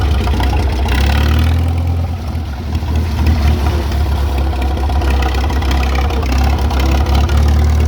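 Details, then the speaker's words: Old tractor that would not start, after setting the nearly closed ignition points gap to .013: engine fires right up and settles into an even, low idle with steady firing, no misses or knocks; normal idle. "I said it to 13 000 fired right up I've I've started it four or five times now yesterday fires right up"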